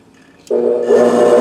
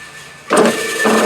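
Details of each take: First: Electric motor (ran fine before), 108 V on extension cord dropping about 7 V; two short runs on a three-wire hookup with a steady hum that never reaches full speed, running slow. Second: TIDA T4A electric motor run on an extension cord (108 V, drops about 7 V) after swapping the red and black wires. It kicks on and settles into a steady, even, clean hum with no labouring; the motor runs normally despite slight stator wear from a nick.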